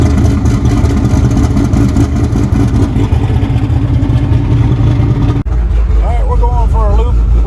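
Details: Freshly built truck engine on boost (about five pounds), street shakedown after previous engine hydrolocked with coolant: deep, strong note pulling cleanly and revving evenly, no knocks or misfires; healthy normal running.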